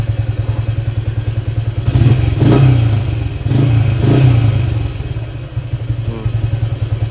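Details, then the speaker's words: Motorcycle not run for 3 years, weak starter and battery, after engine reassembly and carburetor setting: even low thumping beat, blipped twice, climbing and dropping cleanly without clatter; exhaust smoke thought to be old oil. "Okay, starter tak larat bateri tak larat Motor ni dah 3 tahun tak hidup. So kita hidupkan balik."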